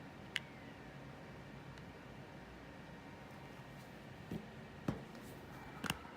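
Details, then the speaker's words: iPod Classic fifth generation 30GB that won't restore via iTunes, stuck in a boot loop at Apple logo: faint irregular ticks and soft scratchy clicks, no steady spin-up; hard drive suspected fried, not confirmed. "So, right now it's just it's in a it's in a boot loop. Let's see if we can get into the diagnostic menu. I don't know if we will be able to. the hard drive kind of seems like it's fried."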